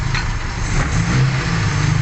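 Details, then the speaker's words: Suzuki Carry petrol engine with compression loss: starts and idles rough and lumpy, misfiring; when revved, white smoke puffs from the engine breather hose and it stalls while driving. "Oke kita coba teman-teman ya mobil kita hidupkan nah mobil ini pincang mobil ini"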